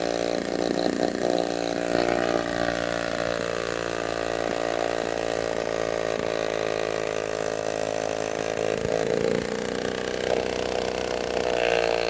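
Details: Restored 1946 Power Machinery chainsaw (Vancouver, BC) running after restoration; even two-stroke buzz at steady pitch, only small speed dips, no misfires or rattles: runs healthy.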